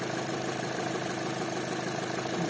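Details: Chevrolet Cruze 1.8 Ecotec, checked for a noise at startup: even, smooth idle with a soft steady hum and no knock or tapping; head and block oil pressure match, lubrication judged good; normal idle.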